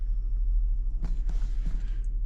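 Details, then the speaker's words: 2011 Lincoln MKX running after its leaking brake booster was replaced to fix a soft brake pedal: only a low, steady engine rumble with no vacuum hiss or whistle, and the brakes feel good. "Started it up. I don't hear any noise. Brakes feel good."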